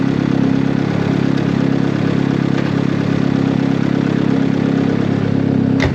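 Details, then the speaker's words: Turbo Honda Civic with fresh built D16 single cam, run up to temperature outside to check for oil leaks after repairs: steady, even engine note without stumbles or cutouts; no misfire, and no leaks found afterwards. "Gonna let it run for a little bit, get up to temp, and just verify we don't have any leaks."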